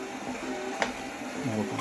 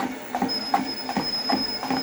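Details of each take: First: Torneo Inita T-150 treadmill at 4 km/h, cover removed, after cleaning: short creaky squeak on each left-foot step, right foot silent, over soft belt tick; squeaking deck, later cured by tightening loose deck screws on the left side. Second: Torneo Inita T-150 treadmill after tightening all deck bolts that caused a left-side squeak: soft motor hum under steady footfalls about 80 per minute, sole contact audible, no squeaks or creaks; repaired, running quietly.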